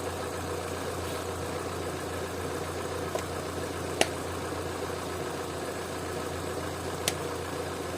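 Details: Opel/Vauxhall with an intermittent high idle, just restarted after the throttle body was cleaned and switched to LPG: a faint steady low hum with a couple of light ticks, settling into a calm, even idle.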